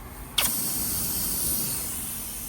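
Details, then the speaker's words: M923A1 5-ton military truck shutterstat, leaking from pinhole on its front: sharp release then steady soft hiss for a couple of seconds; very minor air leak. "You can hear it, right? It's not a hard leak. You can even put your finger over it to stop it pretty much, right? It's a very very very minor leak, but it is an air leak."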